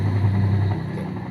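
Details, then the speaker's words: Washing machine spin motor after jumpering a broken part, set to spin: deep, strong hum starting full and holding smooth with no labouring or scraping; rotation now normal versus weak before. "Nah, ini normal sudah dari awal putarannya sudah kuat ya. Kalau tadi lemah banget putarannya."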